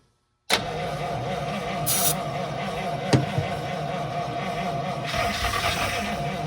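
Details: 1952 Cadillac, first start after years of sitting, following tank removal, fuel line repair and new fuel pump, starting on fuel in the carburetor bowl: starter grinds it over, then it catches into steady, even idle, no misses or knocks; normal cranking and start.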